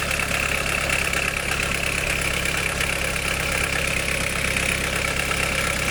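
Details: 1991 Nissan Primera P10 GA16DS carbureted engine, carb previously damaged by a mechanic: steady idle with busy metallic chatter over the engine; owner suspects bad timing chain noise, unconfirmed. Engine rattle at idle.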